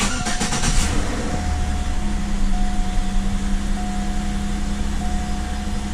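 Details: 2008 Chevrolet Impala LT 3.5L (3500) V6, first start after the timing cover oil leak repair with a new water pump, belt drive kit and coolant refill: brief crank, quick catch, then a smooth even idle with steady belt hum, no knocks or misses.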